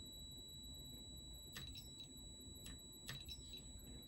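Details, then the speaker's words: Bench test of a Gottlieb System 1 MPU board from a 1979 Count Down pinball: touching a switch-matrix input fires the chime output (buffer chip pins 5, 9, 11), giving short bright chime strikes over a faint steady tone; working normally. "so it's inputting a switch and outputting a solenoid to fire the chimes."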